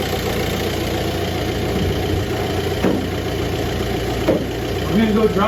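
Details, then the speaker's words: VW BEW TDI diesel with AW4 automatic and stock torque converter, running a 700 rpm idle tune: even diesel clatter at a steady idle of about 800 RPM, no misses or knocks; normal idle. "but it's idling right now at about 800 RPM"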